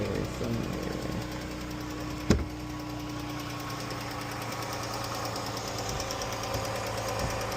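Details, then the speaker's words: Jeep V6 idling under hood: light, quick ticking over a steady idle; mechanic attributes it to worn rocker arms and lifters common on these engines, not the oil used. "It's just these engines be having rocker arms and lifter problems."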